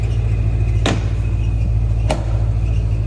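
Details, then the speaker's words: 1987 Porsche 928 S4 5-litre V8, manual, slightly high mileage, rebuilt engine with receipts: deep, even low rumble idling steady with no knocks or misses, a couple of stray clicks; idles smooth and healthy. "Go on, James, fire it up. Sounds lovely, really, really nice that."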